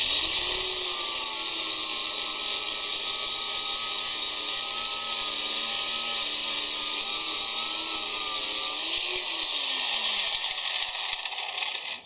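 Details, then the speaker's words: Rebuilt 4.5-inch angle grinder after repair: steady high-pitched motor whir, no rattle or bogging, clean spin-down at switch-off; runs normally. "there you go it's not the most powerful thing in the world but it works pretty well"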